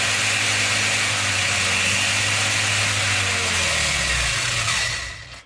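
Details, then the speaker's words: Rlaarlo RC car with Surpass KK 60A ESC, Spektrum SR215 receiver and SX5C transmitter at high throttle: steady high-pitched whirr for about four seconds, then even spin-down; normal high-speed motor run. "It's at 110 that it's get a bit higher RPM, and it's almost like it's kick in."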